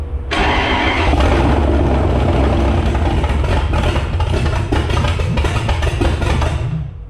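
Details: Jeep Grand Cherokee drag-race beater V8 with carburetor, start attempt: cranks, catches within a second, revs up, settles into a steady rumble; clean, healthy start.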